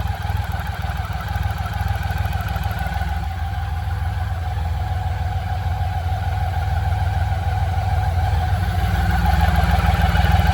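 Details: BMW K75 motorcycle after restoration and fixing intake manifold vacuum leaks behind starts-then-dies and rough idle: smooth, even idle with steady low beat holding pace throughout; engine healthy and settled.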